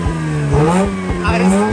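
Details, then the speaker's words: 2004 Mazda RX8 manual, unstarted for two years, just caught after repeated deflood cranking with throttle held: revs rising and falling unevenly, held on throttle, some smoke; owner suspects it forgot its fuel trims. "So now I gotta idle it till it takes over. It hasn't been starting so long. Correct me if I'm wrong. But it probably forgot its fuel trims."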